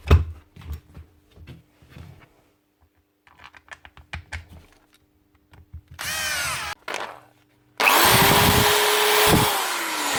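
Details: Metabo SBE 650 drill after replacing its broken switch: spins up with a smooth, even motor whine and coasts down cleanly, no stutter or cutting out; runs normally.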